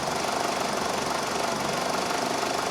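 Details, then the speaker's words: 2000 Ford Focus 2.0 SOHC with P0302 misfire code, running badly, stumbling and dying at idle: fast, even injector ticking over the running engine, no skips or rattle; the pintle is firing and the injector opens and closes normally. "pintle firing it means being controlled by the computer and he's opening and closing so"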